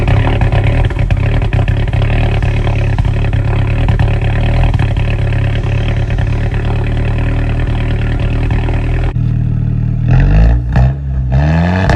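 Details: Straight-piped 2008 Audi A4 2.0T cold start, misfire from a faulty fuel injector: a loud, deep idle with a lumpy, stumbling beat and a few throttle blips.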